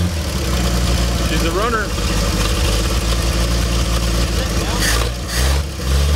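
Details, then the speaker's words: 1958 Chevrolet Delray, first start in a couple of years, float bowl filled through the vent: catches and settles into a steady, even idle with a smooth low rumble and no misses or knocks; running well. "Chevs are just 100%, hey? Right. 58 Chev is really running well."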